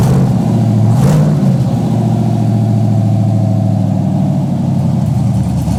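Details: Chevrolet Blazer V8 build first start, open headers, big cam: rhythmic lumpy lope at idle and a quick rev blip; normal cam sound, nothing wrong.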